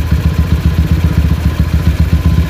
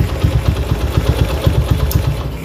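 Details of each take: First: Honda GL single-cylinder motorcycle warm idle hunting up and down with a steady low chuffing pulse; it will only idle at high rpm, dies when the clutch is pulled after riding, and makes a rattling noise when hot. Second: Honda GL motorcycle idling after repair of unstable idle, stalling when clutched and hot-engine ticking: even, steady low thumping at regular idle pace, no ticking or clatter; idle now normal and stable, carburetor setting still pending.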